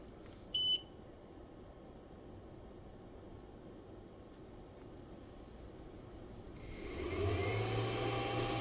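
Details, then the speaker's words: Inverter checked after repair, powered from a battery with 220 V output: quick high beep burst, quiet seconds, then cooling fan spins up to a steady hum when load is applied and stops when load is removed; normal startup. "Все запускається. Знімаю навантаження. Вентилятор відключається. Підкидую навантаження. Активується охолодження. Все в порядку."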